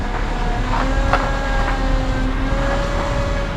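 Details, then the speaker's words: 2007 Honda Accord, engine running while steering: screeching whining that shifts pitch as wheel turns; power steering pump failing, fluid very low and pump sucking air, hard steering. "here's another way you can tell your power steering there's something wrong with it or the fluid may be low you start hearing that screeching and whining noise when you turn [Music] listen don't sound very good does it"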